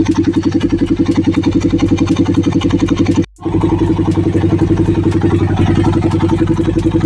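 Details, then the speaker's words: Single-cylinder on first start after fitting a low-budget steel-bore block, cams set 10 intake / 20 exhaust, being broken in: even, quiet idle with a steady beat and no knocking or ticking, a healthy-sounding top end. "Sundutin ko lang para makita natin kung tahimik. Yan, tahimik naman mga ka-rider. Tahimik naman."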